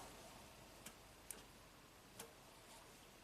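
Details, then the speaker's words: 2015 Toyota Camry 4-cylinder, 125k miles, U760E transmission, P2714 code: shift solenoid on pins 18 and 19 (6.4 ohms) bypass test gives crisp sharp clicks, test light same brightness; solenoid working normally. "Lights up the same. Hear a nice click. Looks good."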